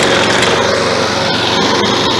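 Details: Found, discarded Toro lawn mower, single-cylinder, had been tipped on its side and overfilled with oil (about a quart), good compression: catches and holds a fast, steady buzz without priming; normal running.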